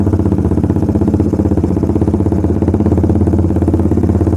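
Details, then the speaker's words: Suzuki Satria Fi150 with stock coil and plug and an anti-brebet cable fitted, riding held at 2000 rpm: loud, firm, even beat with no hesitation. A slight stumble appeared on a later try. "gua tahan di RPM 2000 tuh ya di RPM 2000 ini enggak enggak nyendet-nyendet atau enggak berebet sahabat"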